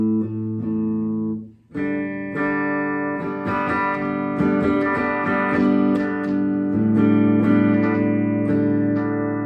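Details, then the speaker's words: 2017 Gibson Les Paul Traditional after DeoxIT cleaning of a pickup selector switch that had dropped out on the bridge pickup and scratchy volume pot: notes ring clean through the amp, no crackle, pops or dropouts as pickups change. "long switch is working as it should"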